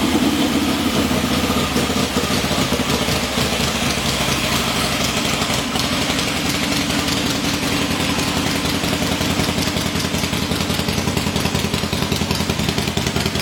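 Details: Freshly rebuilt motor on a testing stand, finished about an hour earlier and already run, head bolts retorqued after warm-up: loping V-twin beat steady at about three and a half pulses a second, no knocks or rattles; healthy.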